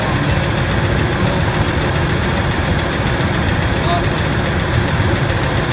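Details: 1997 Ford F-150 V6 with a rough idle and a fast, steady ticking knock. A stethoscope on the rocker arm bolts finds it loudest at the middle cylinder, on both valves. Suspected valvetrain noise; the cause is not yet identified.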